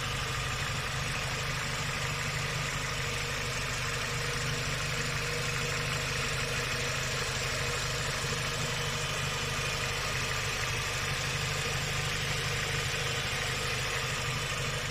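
Quick, light metallic ticking rides on top of a steady idle, faster than the firing beat; a noisy hydraulic lifter.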